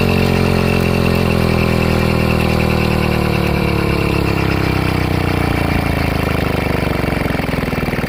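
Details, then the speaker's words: LD80 two-stroke motorized bike engine, spark plug out, pedaled so the motor rolls: irregular metallic clank inside as it slows; owner suspects partially worn reused rings or incorrectly installed piston pin clips. "I'll let you hear this sound that's a bale sounds like a ping inside the motor not really a ping but a clang your yeah Clank that sounds more like it"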